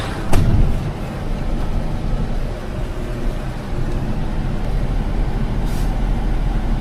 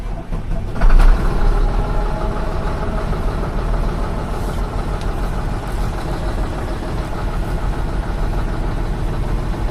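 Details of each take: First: 2007 Mitsubishi Fuso Fighter FM260, 6M60 7.5L diesel, after replacing knocking injectors: steady low idle with sharp air hisses as drained air tanks refill; runs evenly. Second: 2007 Mitsubishi Fuso Fighter FM260, 6M60 7.5L diesel, cold idle while air pressure builds: rough, uneven clatter with occasional sharper knocks from failing fuel injectors, which are replaced.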